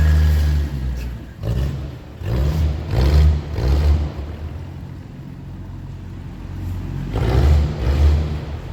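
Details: 1982 Ford Granada 2-door, choke on: loud, deep, raw blatting exhaust swelling with each throttle blip from a large exhaust leak, pipe open at a rotted flange; two significant leaks under car.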